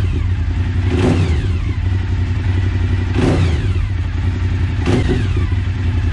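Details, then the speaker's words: Suzuki SV1000 V-twin after replacing the badly dented fuel tank, started to check for leaks: deep, steady thump with a few brief rises in revs, running evenly through the exhausts; normal idle. "sounds lovely those exhausts okay i think we can call that a uh a satisfactory job now"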